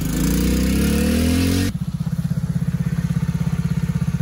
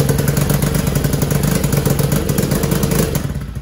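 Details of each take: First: TAO 110cc ATV with a brand-new replacement engine, governed to about half throttle, being ridden: small single thumps along at a steady, even beat with no knocks or misses; runs pretty good; normal running. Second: TAO 110cc ATV with only 50 psi compression: it starts and idles but buzzes flat and uneven, won't rev up and has no power. The engine was replaced with a new one.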